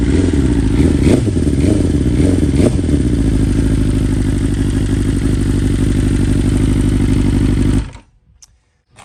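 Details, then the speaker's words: 2020 BMW S1000RR (K67) on stock software, true cold start at high idle: the idle is lumpy and stumbling, then it stalls and needs restarting; one ignition coil is dead and that cylinder is misfiring. "obviously you can hear that one of the coils just shot and um i had to you know restart it a couple times"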